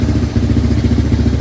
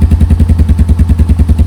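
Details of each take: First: 1987 Yamaha Moto 4 200 ATV after carburetor cleaning and jet/needle repair: single-cylinder chug at fast, uneven pulsing idle, runs only on full choke; owner suspects air screw too lean, at two and a half turns. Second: 1987 Yamaha Moto 4 200 ATV, electric start, sat 10+ years, new battery, starter solenoid jumped with screwdriver; steady single-cylinder thumping at fast idle, no misses or knocks, running fine.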